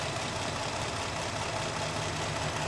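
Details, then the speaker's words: 2017 Jeep Grand Cherokee 3.6L V6, oil-leaking after owner's work, revved to about 2,000 rpm with a lumpy, shaky rough idle that comes and goes, no codes then P000C, cam phasers reportedly put in that morning; scope shows exhaust cam movement, cause unconfirmed. "I don't know if you guys can hear that. This thing sounds terrible, to be honest."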